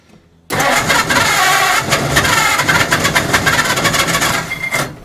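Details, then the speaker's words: 1940 Ford Deluxe coupe barn find with flathead engine, cranked with a poor negative battery cable connection: steady, uneven chug with ragged bursts as it tries to catch but doesn't; cranks, no start, fuel starvation from frozen carburetors needing overhaul. "okay it's definitely wanting to start i'm gonna have to do the carburetors anyway so that's probably our next step here"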